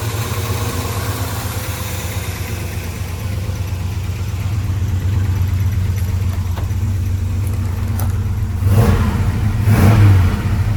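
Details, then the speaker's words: 1972 Chevy C10 Cheyenne, fresh restoration with headers: steady V8 idle, then clean throttle blips rising and falling smoothly; mellow factory-style muffler exhaust, sounds good; normal idle and revving. "real loud exhaust, more of a factory style muffler, but sounds good."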